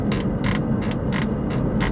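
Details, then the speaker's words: Two-year-old 2019 Toyota Camry four-cylinder with 34,000 miles, inside the cabin: over a steady cabin hum, a squeak repeats about three times a second from the armrest trim where it is touched. "i don't know if you guys can hear that those little squeaks it's just on the armrest where you actually touch so not everything is squeaky free"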